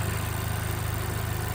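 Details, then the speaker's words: Honda Civic Type R FK8, K20C1 engine, 117,000 km, after a head gasket replacement with ARP studs and 30 km of driving: steady, smooth idle with no ticking, whistles or hiss. This is a normal idle. "Silnik po tej naprawie zaczął zupełnie inaczej pracować. Ładnie, aksamitnie."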